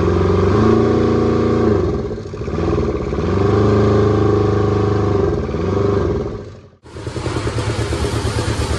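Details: Kubota T1600 diesel mower, 530 hours, first start in years: small two-cylinder diesel runs steadily, picking up cleanly when throttled up and back, no knocks or misses; healthy, later warmed up without overheating.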